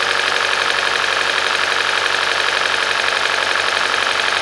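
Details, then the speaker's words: Hyundai/Kia 2.0 engine, first start after timing chain, sprocket, VVT solenoid and exhaust camshaft replacement, key cycled to prime the pump: idle with faint light ticking and uneven stumble; misfire worsens then smooths during relearn, later traced to a failed coil. "That's running pretty good. I see a little bit missed. I hear a little slight ticking, but the misfire just came in."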